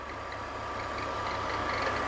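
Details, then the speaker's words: BMW E46 at idle, rebuilt engine, screwdriver stethoscope on the belt tensioner mechanism; steady high squeak with light irregular ticking; failing INA tensioner pulley installed a year earlier, not the alternator as suspected. "bad tensioner mechanism okay so that's interesting I really thought that it might have been the alternator but turns out it's the tensioner pulley"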